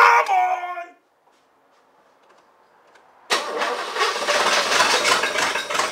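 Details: El Camino project car that had not yet run, with a freshly charged battery and fresh gas, spat a little on earlier cranks: a short burst, a pause, then long cranking chatter that never catches, despite the owner confirming gas and spark; the engine cranks but won't start.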